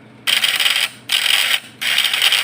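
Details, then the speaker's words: Points-type (platina) PS fish-shocker vibrator inverter: harsh high buzzing in half-second bursts with short gaps; points glowing very hot, contacts burnt and pitted from the heat, identified as the cause. "Jadi ini deh guys penyebabnya. Platina kita mengalami gosongan atau berlubang deh, karena dampak dari panasnya platina ini jadinya berlubang."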